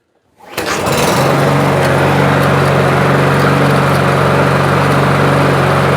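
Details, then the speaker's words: Toro push mower with plastic carburetor that started then died after 10 seconds, after cleaning carb jets and emulsion tube ports: catches within half a second and settles into a steady, even buzz, no surging or dying; no blade fitted yet; normal running. "Sounds pretty good. Let's put a blade on it."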